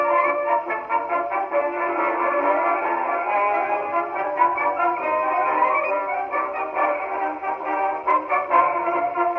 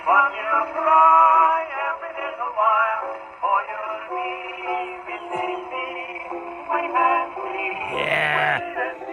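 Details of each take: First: 1919 Victor Victrola VV-IV #437504 after overhaul (new governor assembly, main spring, spring drum, felt; rebuilt Exhibition reproducer): brass band plays with narrow midrange horn tone at steady speed, no wavering pitch or heavy hiss; clean playback. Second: 1919 Victor Victrola VV-IV after overhaul with a rebuilt Exhibition reproducer: music through the horn sounds rough, buzzy and breaking up on louder passages because the record's grooves are worn out.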